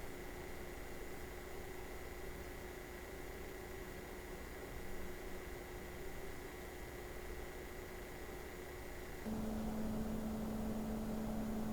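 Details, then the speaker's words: Opus BT-C3100 v2.2 battery charger in its stock cooling configuration, discharge current set to 1 A: constant airy fan hiss with a high steady whine that drops to a lower hum; loud, annoying cooling fan, and it overheated and cut the load. "на першому місці у нас опуск такий надокучливий шум він Дуже заважає спати"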